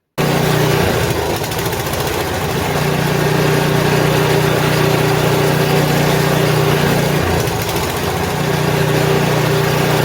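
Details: Old snow blower's small single-cylinder engine run after an oil change and lubricant spray to free a suspected sticking valve; old oil had been very bad and low: buzzes fast but unevenly, stumbling near seven seconds; rough running.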